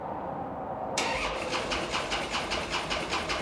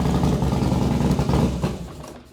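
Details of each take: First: 2012 Harley-Davidson Dyna Street Bob after months sitting apart, freshly painted tank empty: starter churns at an even beat, about two and a half pulses a second, and the engine never catches; cranking with no fuel. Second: 2012 Harley-Davidson Dyna Street Bob big twin after a new fuel pump assembly replaced one not priming enough: fires and settles into a deep, even low thump with no misses or rattles; normal idle.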